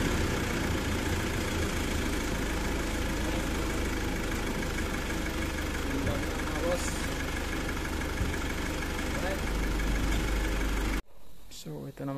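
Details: Mitsubishi Pajero 4M41 diesel after valve clearance adjustment and glow plug replacement. It idles steady and even with a smooth low clatter and no misses or knocks, sounding healthy and settled.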